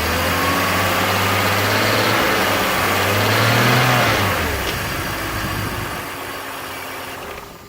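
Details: BMW E46 330Ci M54 inline-six after VANOS rebuild with only the piston rubber and Teflon seal rings changed, idling then revving and settling: light metallic rattle, louder than before the rebuild; source unknown.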